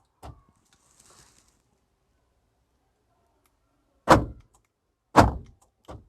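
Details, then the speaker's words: Hyundai Eon central locking after repairing the left door lock/unlock motor's damaged bracket with a cable tie: crisp single clunks as locks cycle, no buzz or rattle; the loud lock/unlock noise is gone, working normally. "सारे door काम कर रहे हैं और कोई आवाज़ नहीं। ये प्रॉब्लम सॉर्ट आउट हो गई है।"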